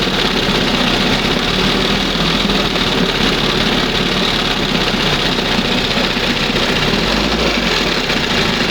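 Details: 1971 Johnson 20 hp two-stroke outboard after carburetor mixture and idle stop screw adjustment, throttle at first mark: steady, even buzzing idle with a constant beat, no sneezing, surging or dropouts; normal idle.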